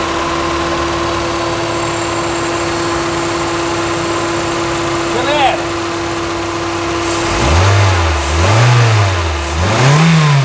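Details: 2004 Toyota Corolla VVT-i gasoline engine, first start after head gasket replacement, engine removal and overhaul, timing set: steady even idle, then three clean throttle blips rising and falling smoothly, no knocks or ticks; normal, healthy.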